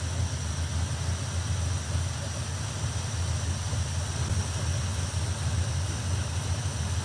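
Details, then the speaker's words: 1957 Chevy Nomad V8 after fuel system work and carburetor mixture screws set to about one turn: steady deep rumble with quick, clean pickup when blipped and no stumble; slight squeal heard; crisp throttle response. "See, now that's snappier. Squealing you're hearing is a little bit of a smell. So, I think we're good to go. It sounds nice and snappy."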